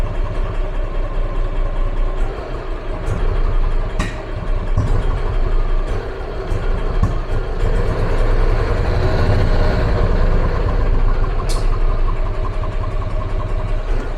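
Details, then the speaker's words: EZGO gas golf cart, 2008 or 2010, long stored and barely running for a year, choke pulled: low, lumpy chuffing with stumbles, engine barely holding on and feeling starved of fuel; carburetor suspected. "you can get it to sputter a bit uh you know it won't hold that rabbit it feels like it's running out of gas constantly"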